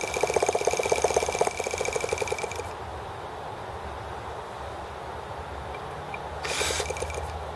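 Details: T26 model engine at 3°F (-13°C), after a valve job and rocker-arm and carb adjustments: a fast, even ratcheting crank for a couple of seconds with no firing. It turns over but won't start; owner suspects cold and carb freezing.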